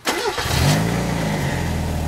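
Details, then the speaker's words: 1991 Mazda Miata MX5 after replacing the faulty temperature sensor (nine-flash code, throttle hesitation) and clearing codes: quick crank, catches at once, flares briefly then settles into a smooth steady cold idle; starts and runs properly. "perfect now she's cold right now so she's idling just where she should be and uh let it warm up check for leaks and it should be"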